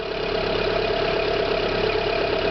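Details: Renault Clio 1.6 16V with a noise suspected at the alternator pulley, tensioner bearing or water pump: with the accessory belt drive stopped, a smooth steady idle with no whirring or chirping; normal idle.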